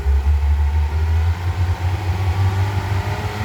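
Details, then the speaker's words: Mercury V6 outboard on a Boston Whaler 21, previously running rough, after replacing roughly three-year-old spark plugs: deep steady idle burble, every cylinder firing evenly, no misses; normal idle after repair. "So this one's right on the line of 3 years. It sounds good now."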